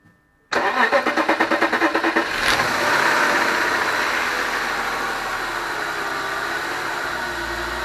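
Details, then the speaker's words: BMW E46 after repairing a DISA valve that stayed open: brief cranking, then catches, revs up cleanly and settles to a smooth, even idle; the earlier small noise when revving is gone; normal idle and rev. "responds so it sounds pretty healthy um before when you rub it up it used to make a little sound and now I think it's gone"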